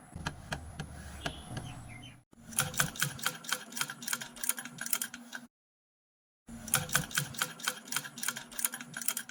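Light, quick, even ticking from the needle mechanism in short runs with a pause; no knock or grind, the machine sounds healthy.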